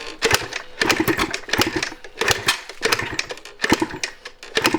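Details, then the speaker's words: 1986 Yamaha IT200 two-stroke enduro dirt bike, incomplete, over 100 kicks; kicks roughly every second with odd sharp pops but never catches, plug possibly fouled; firing only intermittently, won't start. "Sounds like the old hit and miss engines. Take me back to 1910."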